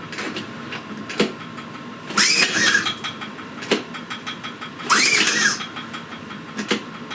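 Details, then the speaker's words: Silent suitcase generator after a starter cord repair, choke on and primed: two recoil pulls spin it briefly but it never catches because the engine switch was left off. Cranks but won't start. "Oh wait, engine switch on. Okay."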